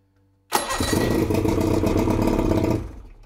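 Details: Evinrude E-TEC 60 hp outboard after its EMM (ECU) was repaired and refitted, long stored: catches instantly and runs an even, buzzy two-stroke beat for a couple of seconds before shutting off. A clean, healthy start.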